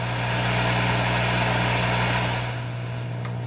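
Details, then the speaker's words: 1958 Sears Silvertone 9075 amp in guitar conversion, plugged into a Variac to clean line noise; steady low mains hum under faint hiss easing slightly, so the power supply probably needs more filtering. "Way less noisy going through that Variac right there. So that tells me I have some work still to do on this power supply. Probably need to add some more filtering."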